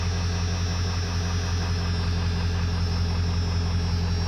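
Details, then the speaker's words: 1997 Ford F350 XL 7.3 Powerstroke diesel, 241,212 miles, unstarted for a week, started in rain: fires right up into deep, even diesel clatter at steady idle with no misses or knocks; normal idle. "of course it fires right up 241 212 miles"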